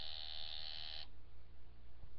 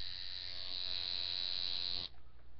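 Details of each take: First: Coil tattoo machine at 9 volts during back-end tuning, with proper depth and nickel gap set: a steady, harsh, uneven electric buzz for about a second, then it cuts out; it is not sounding good and needs further adjustment. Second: Coil tattoo machine running at nine after tuning: a bright, steady high buzz holds even for two seconds, then cuts off cleanly; the machine is well tuned and running sweet.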